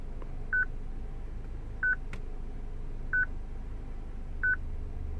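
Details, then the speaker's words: 2006 Citroen C3 petrol with a used replacement radio: a short mid-pitched beep repeats evenly about every 1.3 seconds with quiet between. The radio is security-locked because its stored VIN is from a different car. "Now look at the VIN code that is saved on this radio. Ah, it's a different one. So that is why this beep is happening."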